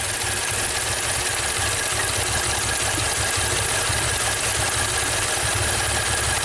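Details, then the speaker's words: 2016 Maserati Ghibli Q4 V6 twin turbo at 60k miles, idling: an uneven, lumpy beat that barely changes when coil 6 or the whole bank is unplugged. One cylinder bank is dead, and the engine is suspected badly out of time. "I guess so. It runs about the same with this bank completely unplugged."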